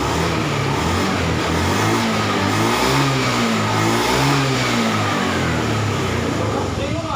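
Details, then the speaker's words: Honda Beat FI scooter, battery jumped: on throttle revs rise and sag unevenly, stuttering and dying instead of pulling; engine starving from low fuel pump pressure, stumbles and stalls when throttled. "Kita coba motor ini katanya kalau digas itu nggak mau jalan gitu ya, mati gitu, berebet mati."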